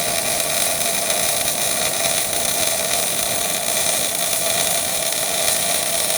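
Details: Miller-Matic 251 MIG welder at 21 volts, 366 wire speed, welding pipe fittings: smooth, even frying-bacon crackle without pops or sputters; steady, clean arc.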